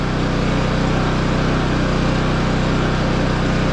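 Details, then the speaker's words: 11-year-old Champion generator running a window air conditioner (about a sixth of capacity) with eco mode off: even, unchanging drone and steady low hum, no surging or hunting; runs steady, though louder than before, muffler internals and spark arrestor suspected blown out. "If I turn the eco mode off, yeah, it runs steady."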